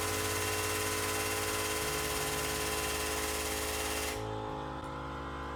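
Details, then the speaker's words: New OEM Tools 20-ton air-over-hydraulic press (25087), first try after assembly, air connected, no air leaks: loud steady hiss with fast regular impact-like pulsing that cuts off cleanly, ram moving; normal operation. "you can hear that making that impact kind of noise oh yeah ram's moving"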